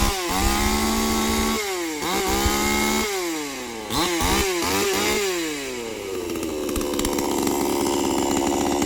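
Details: New Krathing Dam 5800 two-stroke chainsaw with 11.5-inch bar, started with choke then pushed in, cutting wood: revs climb and sag as the chain bites, pitch recovering cleanly each time; saw runs healthy.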